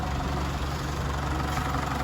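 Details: Isuzu D-Max diesel with an earlier crank-no-start fault (codes for EGR closed-position performance and camshaft position; not the engine ECU): steady, even diesel clatter at idle with no misses or knocks; idling normally.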